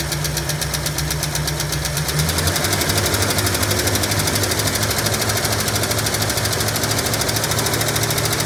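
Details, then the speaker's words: 1965 Ford Mustang coupe, supposedly a 302 V8 installed around 1989–90, sitting 33 years with engine previously locked, first run: rough idle with fast steady light lifter tick, no smoke yet. "We'll see what happens after a little while, but nothing yet. That lizard tick ain't going away either."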